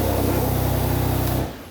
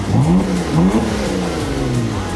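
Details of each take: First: Rebuilt wrecked Porsche Macan Turbo, first start after cooling system filled, air intake not fitted: loud hissing suck over a steady idle before shutoff; turbos drawing open air. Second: Rebuilt wrecked Porsche Macan Turbo first start after repairs, no turbo or other leaks found: engine catches and revs up and down cleanly, no misses or rattles; normal.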